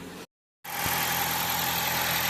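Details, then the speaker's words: Low-mileage ex-fleet 2013 Dodge Avenger, first start after oil pan replacement with fresh oil: even, slightly buzzy idle, smooth beat with no knocks or ticks; these engines are naturally buzzy; oil smell from spray on the exhaust; normal idle. "Runs pretty good. These aren't the quietest engines to begin with, so it's a little buzzy, but I think these all are. Sounds pretty good."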